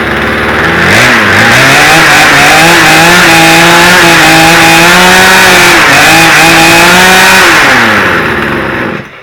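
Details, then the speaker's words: Poulan Pro chainsaw after repair of a no-spark fault (broken connection soldered) and a new spark plug, cold start with full choke and extra primes: high steady buzz, even revs, clean shutoff; runs strong. "Well, I did it. It all went back together. You saw how many times I had to pull it."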